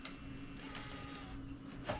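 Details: Sony Handycam DCR-TRV310 Digital8 camcorder, running a cleaning tape in record, heads suspected dirty: quiet steady low hum with soft whirring, no clicks, knocks or squeals; transport sounds normal.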